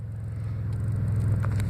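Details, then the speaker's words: 2004 Chevy Impala starting after waiting 10 minutes for security mode to clear, key turned off then started; steady, even low engine rumble, no knocks or misses; running normally. "Okay, we're going to turn the key off, and then it should start. Wee, right on."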